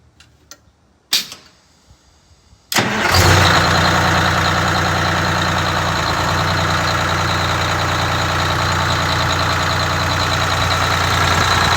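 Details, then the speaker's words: Rebuilt Detroit Diesel 6V92TA in a Wanderlodge bus after idle adjustment (minimum recommended 500, set closer to 600), air leaks audible: quick start, then a steady, even, low two-stroke diesel drone. Normal idle. "the minimum idle speed recommended is 500 RPM on these and I like to set them closer to 600"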